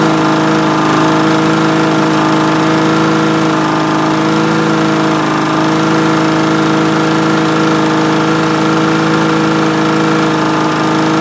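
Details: Vintage Honda Harmony II HRR216 mower, estimated mid-90s, unused for years; after carburetor cleaning it started on the first pull, air filter off. Steady mid-pitched single-cylinder drone with no misses or surging; running okay after the repair.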